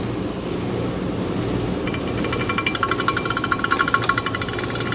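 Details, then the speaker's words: Stoves milkshake machine draining product with spinner removed, vanilla mode: rapid even clicks over motor hum as the bare spinning spindle leans against the metal; normal. "so if you hear that clicking it's just because it's spinning and leaning against the metal there"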